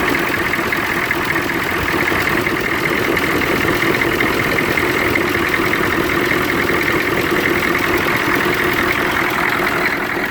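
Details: 1993 Chevrolet CK2500 6.2 diesel at idle: uneven, lumpy clatter with shaky drone underneath; rough idle with vibration, cause not determined.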